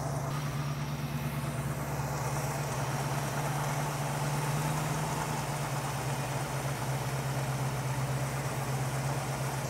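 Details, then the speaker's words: Classic carbureted V8 tuned with vacuum gauge (about 22.5 inches vacuum) after idle mixture adjustment: deep slow idle with soft uneven burble because idle speed set too low; should be 600–700 RPM. "Well, you'll notice that the idle's burbling a little bit down in the lower setting. You want to be idling around 600 to 700 RPM on one of these carburetors."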